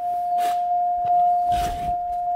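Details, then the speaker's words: 2000 Buick LeSabre with door open before starting: steady single high chime held throughout with faint handling noise; normal door-open warning chime. "going to shut the door so we don't have to listen to this chime."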